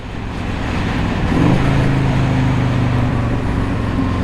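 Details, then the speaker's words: 1984 Harley-Davidson FLT Tour Glide riding, breaking in new rings (original bottom end), oil about 100 degrees, not fully warm, part throttle not wide open. Even steady V-twin drone pulling smoothly with road and wind noise, no knocks or misses; normal pulling under load. "It's smooth. It is smooth. The engine just feels and you know, I'm not wide open. It's not super warmed up, but it's nice and smooth."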